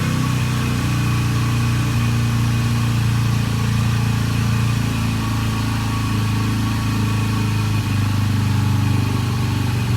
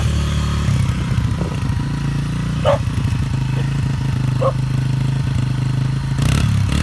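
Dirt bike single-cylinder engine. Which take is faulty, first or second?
first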